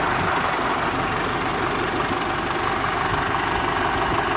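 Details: Ford 4040 industrial diesel tractor just fitted with new injectors, fairly cold start after running glow plugs: even diesel clatter at a steady idle with no misses or stumbles across the clip; engine is running cleanly.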